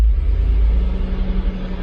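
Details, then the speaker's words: Freshly rebuilt 454 Big Block Vortec Chevrolet V8 at 167 degrees, nearly full operating temperature: deep, smooth rumble with steady low hum and no knocks or ticks; oil pressure holding 50 psi, healthy warm idle. "everything's looking good we're almost up to full operating temp oil pressure is still a 50. everything is looking spot on"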